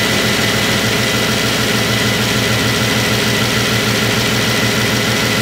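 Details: Bentley W12 engine at idle: dense, even idle hum with a steady beat and no rattle or tapping; the earlier rattle is gone, engine running smoothly.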